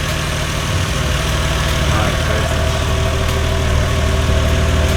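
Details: Lexus GS300 with a 2JZ-GTE VVTi turbo engine, after fitting a new Gates FleetRunner heavy-duty serpentine belt: a steady, even idle with a smooth low drone and no chirp or squeal; the belt drive sounds healthy, normal idle.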